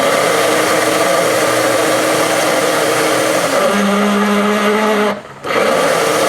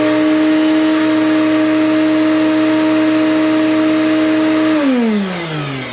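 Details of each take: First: Commercial shop vac running: harsh roar with a groaning, shifting-pitch tone and friction felt on top of the motor; worn, binding bearing on the motor's top plate, fixed by replacing the bearing. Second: Commercial shop vac after replacing the failed top-plate bearing: a clean, steady motor whine with suction and no rattle or grind, then a smooth, even wind-down after switch-off. The motor sounds healthy.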